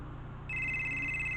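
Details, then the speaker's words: Southwestern Bell FC2544 phone, called from a SIP test phone on a mini SIP server: a bright warbling electronic ring starts abruptly and holds a clean, steady pitch; the ringer works normally, close to the original sound. "Not the original chord, but it's close enough to the original."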